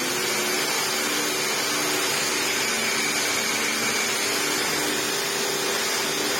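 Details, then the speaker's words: 1998 Hoover Turbopower 2 upright vacuum with replacement motor, reassembled with a new old stock drive belt: steady, even motor whir and smooth brush roll hum, no slapping or squeal, bag inflated, belt stays on; normal running. "On and all that did do some quite nice grooming. The bag, yeah, she's all inflated now, and the belt, yeah, didn't pop off."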